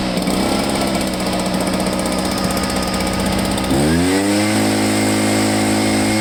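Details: Echo PB500H two-stroke blower that flooded due to a junk non-OEM carburetor, after fixing a kinked fuel line and priming: rough buzz picks up cleanly and settles into a steady high-pitched run at throttle; normal running.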